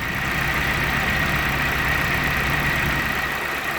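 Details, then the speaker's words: Willys jeep L134 engine with timing set by ear: advanced too far, then brought back a touch, vacuum gauge about 17 (about 19 actual). Steady, even idle with a faint high whine, no popping or hunting. Normal idle. "Steady there, that's pretty good. So you can see what we're doing there. We're advancing it too far and then we're just bringing it back just a touch until it's nice and steady and there's not too much popping"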